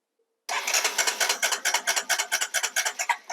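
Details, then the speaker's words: 2005 Honda TRX250EX ATV with a replacement ignition control module from another bike: sharp even pulses about two a second as it fires up and keeps running; normal start and run, original ignition control module confirmed faulty. "there you go works fine"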